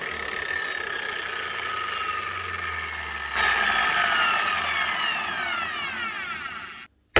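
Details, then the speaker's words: Bosch GWS 24-230 JBV 9-inch grinder after repair with a new rubberized lead and heavy-duty plug, brushes only half worn: smooth rising whine as the disc spins up, holding steady without rattle or stutter, then winding down; running healthy. "One Bosch GWS 24/230 JBV 9-inch grinder. Only needed a new lead, good quality rubberized one, and a good heavy duty rubberized plug. Get her up and running again."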